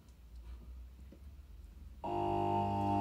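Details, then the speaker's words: Three-phase motor run from a 240V single-phase socket on a single small capacitor: a steady, buzzy low hum after switch-on with no run-up in speed; it is trying but stalls for lack of capacitance, so more capacitors are needed. "you can hear it trying but it's not quite got the power to do it that's because we need more capacitors"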